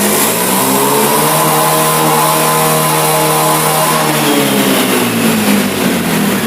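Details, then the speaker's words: Honda Beat fuel-injected scooter: revs climb with a rising buzz that wavers and sags at high rpm, as if running out of fuel, caused by a faulty throttle position sensor reading wrong degrees. "dan sudah kita buktikan tadi ketika gasnya saya juga semakin tinggi justru dia lebih menjadi Hai seperti mau kehabisan bensin games karena terjadi kerusakan pada sensor tv-nya"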